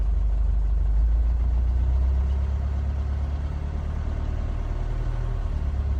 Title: Mercedes 651 engine rough idle